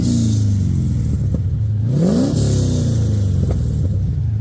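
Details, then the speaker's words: BMW E36 with swapped rebuilt aluminium 5.7 LS1 V8, after exhaust repair (spacer added at loose joint): deep clean V8 burble climbing smoothly on a quick blip and settling back, no ticking or puffing; exhaust leak gone. "So yeah, I don't think there's any more exhaust leak."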